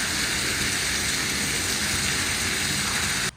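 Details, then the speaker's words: New Goulds well pump on first activation filling a 2500-gallon tank: strong, steady hiss of water that cuts off sharply at the end. Good flow rate, no leaks, water brown from the stirred-up well. "water flowing baby and no leaks so far at least the plumbing coming out of the well well that sounds like a pretty good uh flow rate too"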